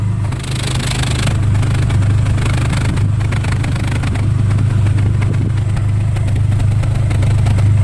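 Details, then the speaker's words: Nissan 3.3 V6 with code P0306, warming up, heard at the tailpipe: loud steady exhaust drone at idle with uneven low puffs and popping as cylinder six starts to miss; misfire traced to a faulty fuel injector. "all right now it's starting to miss a little bit now I'll tell you what we'll do we'll go back for the tailpipe is and you can hear it kind of popping a little bit"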